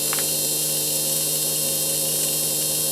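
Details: Hornby Ringfield model train motor after servicing and cleaning excess oil from wheels: spins steadily with even hum and high constant whine, no rattles or catches; running smooth, no more oil thrown.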